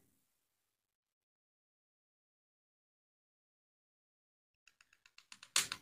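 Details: Rays gas stove with a replacement Quantum electric igniter spark unit, tested on a battery: silence, then a quick train of sharp ticks, about five or six a second, building to a crackle; the new igniter sparks properly.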